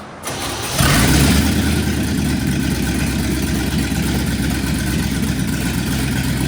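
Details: 1969 Chevy C10 junkyard truck, no exhaust fitted, after spark and a leak were fixed: cranks and catches within a second into a loud open-pipe idle with an uneven loping beat; carburetor still suspected not right.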